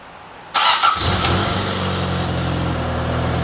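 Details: Toyota AE86 after refurbished gas tank, new fuel pump and fuel filter installed, restart: starter whirs briefly, engine catches at once and settles into a smooth, even idle; starts and runs healthy.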